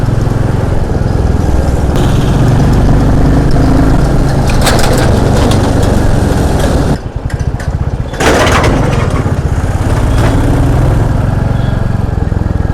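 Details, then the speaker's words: Royal Enfield Classic 350 at steady road speed; earlier tik-tik/kit-kit engine noise, blamed on a poor second service, is now gone: smooth single-cylinder thump under wind rush, no top-end ticking. "तो अभी तो काफ़ी smooth चल रही bike. कोई टिक टिक का कोई sound नहीं आ रहा है। एक टिक टिक और किट किट का एक साउंड आता था बाइक में, वो अभी नहीं आ रहा।"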